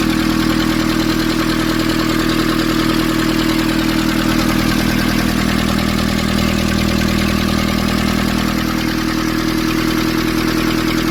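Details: Nissan Urvan ZD30 diesel after its no-start was fixed by cleaning a black, dirt-clogged part: even diesel clatter at steady idle, about three beats a second with no hunting or misses; a healthy, stable idle.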